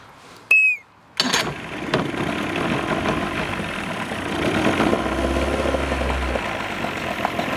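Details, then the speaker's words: 1989 Evinrude 28 SPL outboard on a water hose after carburetor rebuild: cranks, catches after a second and keeps a fairly steady, busy idle without stumbling; normal running, sounds healthy. "Alrighty everybody, that is going to do it for this video. We got it running."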